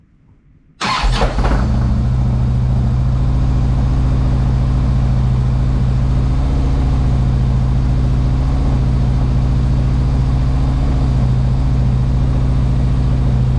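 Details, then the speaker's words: Harley-Davidson Ultra Classic after starter motor replacement for starting problems: quick crank, catches at once, steady, even, deep idle held a bit high while cold; healthy start. "Well, let's try that again. That sounded good."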